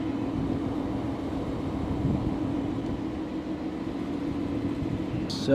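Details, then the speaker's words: Car idling on a new E85 tune during a five-minute idle data log for the tuner. A smooth, steady low rumble with no misses, knocks or surging; a clean, even idle. "i just started my five-minute data log of while just idling and that's requested by palm beach"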